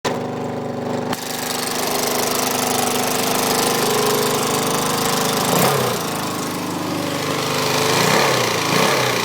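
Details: Suzuki DRZ400SM single-cylinder engine idling and revving with a sharp, steady, very loud clicking that began after over-revving in 1st gear; seems to come from the carb/crankcase area; goes very quiet in 5th gear.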